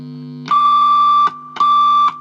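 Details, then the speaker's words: Stratocaster neck pickup, turned microphonic: a loud high squeal near 1 kHz bursts twice over normal amp hum; the bridge pickup also squeals. Coil windings vibrating suspected, not confirmed. "So this is the microphonic neck pickup on its own. Hear that squealing? Seems like the bridge pickup might be as well."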